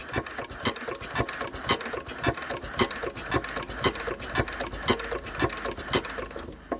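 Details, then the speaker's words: Enfield diesel engine cranking after bleeding fuel and getting the second injector working (still won't run): sharp, regular chirps about twice a second, one from each injector; injectors chirping normally. "So we're getting a chirp out of each injector now. Excellent news."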